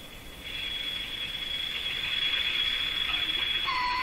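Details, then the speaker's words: Sparton Model 5049 AM tube radio, tuning peaked: thin steady high-pitched squeal over faint hiss, then dropping to lower tone as the set breaks into oscillation; suspected bad decoupling capacitor, not confirmed. "If you peak it right up, looks like an oscillation gets set up. Probably again because of a bad capacitor that should be decoupling these signals or drawing down or eliminating signals that could accidentally make it back to where they shouldn't go."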